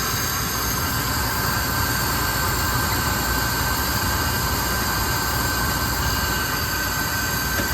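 Steady even roar of the burner flame with a constant hiss, no sputtering or pulsing; burner firing and running normally.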